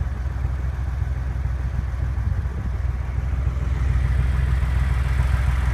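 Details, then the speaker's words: Porsche engine, warmed up after about half an hour of driving, at idle: light, uneven top-end tapping of roughly three beats a second over the hum; cause still unknown. "Kind of hear it. Tapping sound."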